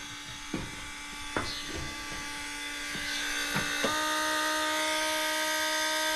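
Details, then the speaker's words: Case 305 during service, key turned on after fitting both new fuel filters: even electric buzz with a few sharp clicks and a rising hum as the fuel pump cycles, priming and filling the new filters normally. "Let It cycle back and forth with the fuel pump going to take and turn the key on we should hear the pump kick in there"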